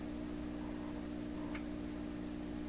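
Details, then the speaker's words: 1928 RCA Victor Model 28V radio with weak 226 tubes being replaced: only a steady low hum, still present with the signal removed, while the power amplifier alone is silent, so the noise comes from the radio; cause not confirmed. "just hear the hum now take the signal right off and you still hear a hum"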